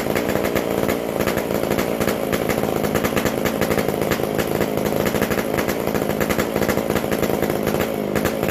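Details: McCulloch Super Pro 125C chainsaw with a new-old-stock muffler. It revs high and steady with a crisp, even rasp and no misses. It is loud because the muffler-to-exhaust gasket is still missing, so the exhaust leaks.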